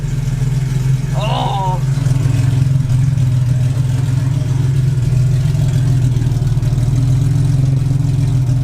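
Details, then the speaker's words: Cammed full-bolt-on Infiniti G35 V6 after rebuild, warming up for 20-minute run-in before first oil drain: deep, slightly choppy lumpy idle, steady, no misses or ticking, no check engine light. "Sound like a beast over here. Hell yeah, dude. Listen to that fucking idle, bro. No check engine light. Everything is on time."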